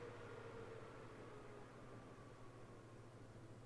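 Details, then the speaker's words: NAS in Silverstone CS382 case, chassis fans on a Y adapter to motherboard fan header, switched from full speed to Performance setting: soft steady hum and airy hiss, no rattles or whine; fans running smoothly, quieter. "l right I've decided to plug the fans into this Y adapter to a fan header on the motherboard and this one is this case is chassis fan one on the motherboard and I currently have it set to full speed"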